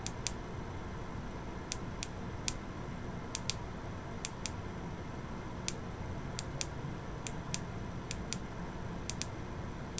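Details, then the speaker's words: Boyer analog ignition box bench test with a very used Lucas coil, off the bike, 50,000+ miles: crisp snapping ticks at uneven spacing, often quick pairs, from single touches of power; tired coil firing multiple erratic sparks. "the coil I am only touching once we're getting an inconsistent start off there times we're getting one other times we're getting double now we're getting its multiple"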